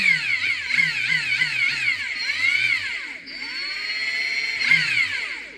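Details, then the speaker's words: Ingersoll Rand impact gun test run after maintenance (cleaning, lubricating, re-tightening fasteners to cure heavy mechanical noise): steady high whir, even hammer pulses, no clatter; it now sounds smooth instead of full of mechanical noise; normal run. "definitely it definitely sounds different now that I did that used to sound like like there was a lot of mechanical stuff going on it's like there's a lot of smoothness in there"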